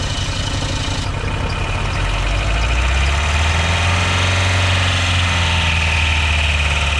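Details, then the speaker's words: Dodge Caravan engine running on water instead of oil after an ether-assisted restart: loud, lumpy and uneven at about four beats per second, strained. It dies when the throttle is released, needed the key held, and lasted about 20 seconds. "anytime I would try to let off the the throttle it would just want to die and to get it to fire up I had to hold the key basically that whole time"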